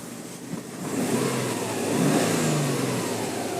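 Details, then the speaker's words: 2009 Subaru Forester 2.0XT, 5-speed manual, EJ20 2.0-litre turbo intercooled boxer, Japan auction import on post-purchase inspection; clean blip from idle rising smoothly and settling back with no misses, knocks or rattles, engine runs well. "As you can see, the engine runs nice and well for this one. Give a little rev for you so you can hear"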